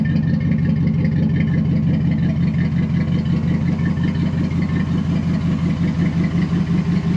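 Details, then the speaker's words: 2004 Dodge Ram 1500 SLT: deep, even V8 idle with loud open exhaust rumble, exhaust cut off and exiting the other side, needing repair; codes including throttle position correlation returned after clearing, but engine not running badly; straight pipe planned. "definitely need to fix the exhaust you can see right there it's coming out the other side"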